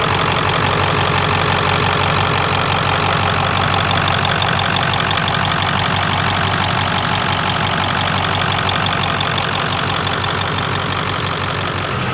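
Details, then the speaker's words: Ford Excursion 7.3 Powerstroke diesel, 500 hp build, idling just after its first successful start with no leaks found. Steady, even diesel idle with a smooth rhythmic clatter and no odd knocks or misses, purring like a kitten; normal diesel idle. "Hey! Listen at it. Purring like a kitten."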